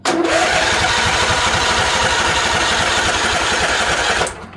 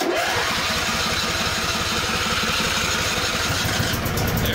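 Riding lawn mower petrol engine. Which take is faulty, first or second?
first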